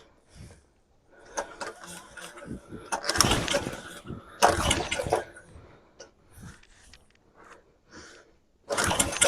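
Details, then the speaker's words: Coleman PowerMate 3000 generator with a 5.5 hp Tecumseh engine, fresh fuel: several pull-cord bursts spin it over but it never catches. Cranks without starting; owner suspects no spark. "The generator is on. It just doesn't want to start. Interesting. Nothing."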